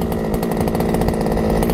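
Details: Losi 5ive-T 2.0 RC truck, small gas two-stroke, with a newly installed Killer RC Super Bee kill switch, tested before a controller-off failsafe check. It buzzes at a high steady rate with an even, unbroken note, running normally.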